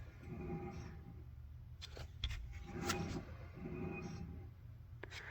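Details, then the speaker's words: 2001 Toyota Echo front wheel hand-spun: rhythmic metallic scrape rising and fading each turn from a rust ridge on the brake rotor, not the wheel bearing; car wanders at highway speeds. "we hear that grinding or that uh metallic noise. And it doesn't feel like it's the wheel bearing. That actually, I believe, is that rust ridge on that rotor."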